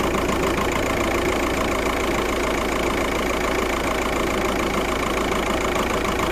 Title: 000769 misfire detected p0301 passat